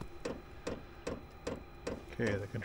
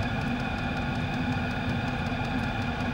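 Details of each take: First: Chinese diesel heater with E08/E10 fuel error codes, during start cycle with glow plug heating, running rich and smoking: crisp regular dosing-pump ticks about 2.4 per second over quiet background while burner tries to ignite. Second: Chinese diesel heater after cleaning out following E08/E10 fuel-related errors, new fuel line and inline filter fitted: steady roar, fan hum and pump ticking on high with clear odorless exhaust; running perfectly, possibly a cap venting problem.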